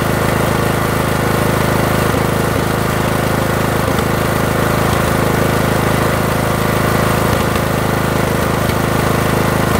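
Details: Briggs & Stratton 18.5 mower engine runs rough and smokes; loud steady drone with an uneven, lumpy beat and scattered stumbles, cause not yet clear.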